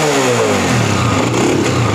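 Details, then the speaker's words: Honda CG125 single after raising idle adjustment: revs cleanly, pitch rising then settling into steady even drone, no misfire; sound now correct, though carburetor settings still need adjusting. "अब bike का जो sound है वो accurate है"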